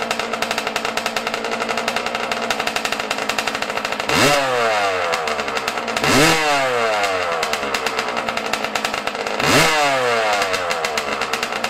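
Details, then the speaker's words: Yamaha YZ125 two-stroke, cold at about 20 degrees outside, before carburetor air screw and idle adjustment: crackly, uneven idle with three sharp throttle blips that bog slightly before clearing; off-tune, needs carb adjustment. "today we're going to be fixing my yz125 because she's running a little red you feel me i got to play with the carburetor the air screwed idol so we're going to be doing that today"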